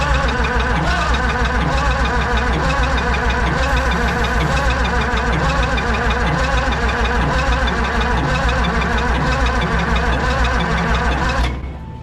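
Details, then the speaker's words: Oliver Super 88 tractor after sitting 20 years, original mechanical fuel pump: steady starter cranking about three turns a second that never catches, even on ether; low compression suspected, possibly gummy valves. "Let's try to. Nothing. So, But it still ain't hitting on ether, so."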